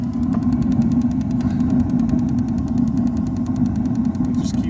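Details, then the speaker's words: RV water heater: after the gas valve is signalled to open and ignite, steady rapid igniter ticking (~9/s) continues over a low hum; flame ignites then goes out, board not sensing flame; fixed by replacing circuit board part 520814. "We'll wait a second here for it to send the signal to open the gas valve and ignite. And then you'll hear it continue to click."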